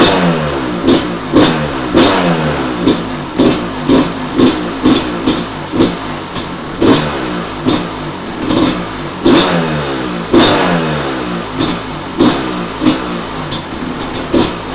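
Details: 2005 Kawasaki KX250 two-stroke, just after first-kick start following full rebuild for low compression, choke on: crisp blips repeatedly, each rev rising and dropping back quickly with no misses or knocks; running healthy.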